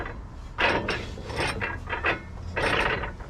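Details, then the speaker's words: Challenger hay swather cutter bar after new skid plates, turtle shells and blades, disc turned by hand: slow uneven scraping and rasping bursts; something inside rubbing, owner suspects a bolt caught underneath, cause unconfirmed. "Ooh, that one don't sound good. Something in there's rubbing, huh? I'll have to look at that and see if there's, might be a bolt or something caught up under that, maybe."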